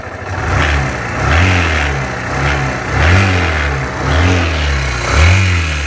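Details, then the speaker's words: Suzuki Van Van motorcycle at 12,300 km: quiet at idle, but each throttle blip brings a rising roar with a harsh, rattly top end. The noise appeared about 4,000–5,000 km ago, and the cause is unknown. "now while it's idle you don't see any weird noises right but once you started to ready it up you see this"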